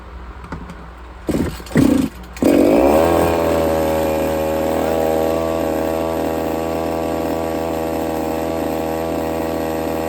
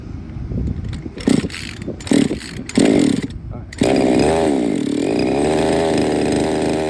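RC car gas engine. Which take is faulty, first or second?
second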